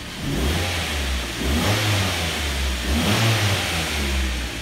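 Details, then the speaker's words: Mk3 Ford Mondeo, after fix for noisy air con compressor, just started and revved: clean rise and fall of revs with steady low rumble, no whine; normal revving. "i cannot hear no wines now can you hear any whining"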